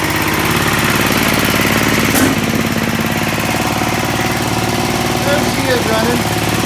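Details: Sears ST/16 garden tractor, long unused and from a hoarder's yard, running after a new fuel pump, a carburetor swapped from another tractor and rewiring; the small single keeps a steady chugging beat with no stumbling or dying, normal running.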